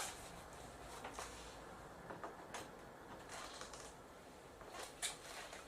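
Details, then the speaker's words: Samsung LE46A656 LCD TV powered up: sharp irregular clicks as the power supply relay keeps cycling, standby light on; power supply fault. "samsung le46a 656a1 the problem i have with it is is the relay is clicking all the time i'm just going to power it up and you will see"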